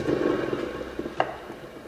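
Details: Volkswagen manual gearbox (Golf/Ibiza/Audi/Seat/Skoda type) during teardown: differential bearing spun by hand gives a smooth, even whir that fades evenly, no grinding or roughness; healthy differential bearing.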